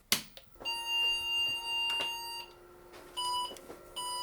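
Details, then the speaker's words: IBM XT 5160 after capacitor replacement, MDA card and 5151 display, no keyboard connected; string of sharp high beeps at power-on self-test with keyboard error 301, then RAM counts to 640K. "Well, a lot of beeps. And the display works. Okay, 301, I think that's the keyboard."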